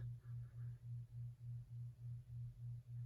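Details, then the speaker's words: 2019 Toyota RAV4 XLE with new LASFIT LED fog lamps on, replacing yellow halogens: faint low hum pulsing about three times a second in a quiet car, from the LED lamps' cooling fans at the back; normal. "All you hear is a little humming noise from the back. Very bright. I'm not sure if you can hear this, but there's this little humming noise that's from the cooling fans."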